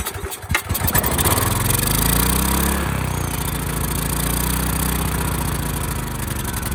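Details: Ridgid generator, Yamaha MZ360 engine, about 10 years old, unused 4 years, retest after rusted carburetor cleaning. After a rough start it settles into an uneven idle whose speed wanders. Throttle sticking and possibly lean; owner plans to adjust the pilot jet.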